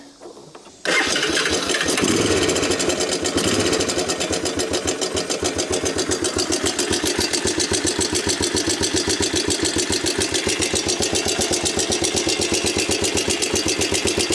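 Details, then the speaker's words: 1987 Honda TRX250 Fourtrax ATV, long stored, after the high idle was turned down: settles to a fast idle with a busy metallic clatter on every beat. Owner may pull the valve cover to check. Metallic top-end rattle. "Why does it sound so metallic? Like a lot of metallic-y stuff happening over here. Doesn't sound the healthiest, if I had to be honest."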